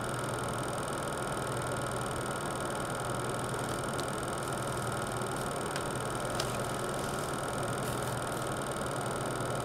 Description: Really loud fan on my TX 650 V2. When new it made this sound for a while and then was silent for some months. Now the ticking seems to be back...